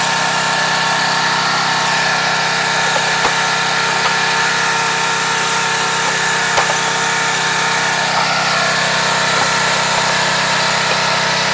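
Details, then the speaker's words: Craftsman 2700 PSI pressure washer, Briggs & Stratton 175cc engine, after carburetor and jet service for a no-start: under full-pressure load, steady even drone holding one pitch, no misfires, hunting or surging; running healthy. "Put the machine under load, full-blown pressure."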